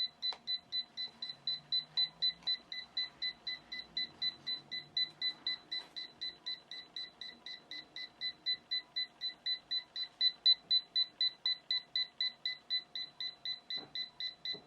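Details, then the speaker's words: DIVA Pro Styling autocurler jam alarm after hair was likely fed on the wrong side of the barrel and pulled toward the head: rapid, even high beeps about four per second without a break while the display shows reset. "What the hell? It just says reset. That was really weird. It, like, pulled it into my head."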